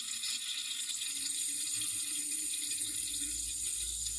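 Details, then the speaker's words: Glacier Bay dual flush toilet, about 10 years old: constant soft hiss of trickling water that never stops; worn rubber valves no longer seal, so water keeps running; fix is replacement valves. "coming out of your toilet all the time, that means there is a valve problem. Those valves, they are made out of rubber, are just not hold anymore."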